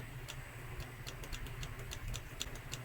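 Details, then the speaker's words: SCUF Reflex controller with a failed R1/L1 shoulder button, clicking the working button: crisp, sharp clicks a few times a second, each snapping cleanly. The fault on the other side lies in the plastic actuator that no longer presses the button. "ça qui clique quoi mais c'est le plastique qui a un problème le plastique qui touche pas"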